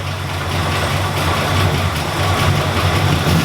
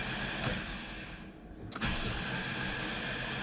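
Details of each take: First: Ford EBII Fairmont started after about four years sitting: starts right up, revs, then settles into an uneven loping idle pulsing about once a second; a vacuum leak starves the firewall MAP sensor so it dumps fuel and runs rich. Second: Ford EB II Fairmont that sat neglected for years, cranked with spark plugs out to build oil pressure on the factory gauge: quick even whirring crank, no compression pulses, grinding or clunks; the engine turns over freely.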